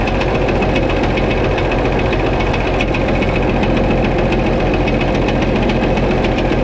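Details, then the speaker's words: White 2-155 tractor engine, uneven hammering over rough idle with occasional stumble, slightly missing and not running right; blow-by, exhaust and oil pressure normal, internal knock of unknown cause, engine work planned. "I'm gonna shut it off it does sound like it's missing just a little bit not quite running right"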